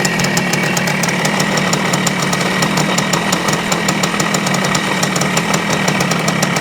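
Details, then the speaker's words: 1973 Yamaha CT-3 175 Enduro two-stroke idling roughly with sharp rapid ticking and an uneven beat, occasionally missing; owner attributes it to up-and-down crankshaft play from worn main bearings, which are about to be replaced. "see one of the things that tells me that we have a problem is that when you try to let it idle it won't see the the roughness it is like it misses one once in a while and I think that's from the up and down movement that we're seeing here"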